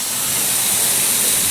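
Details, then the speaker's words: Sprinkler zone blowout with a 22-gallon air compressor, second 5-second blast on a zone out at the curb: a constant hard hiss of rushing air with hardly any spit, just a couple of last drops. The line is nearly blown clear, air only. "Sounds like all air to me. Well, almost. Couple last little drops,"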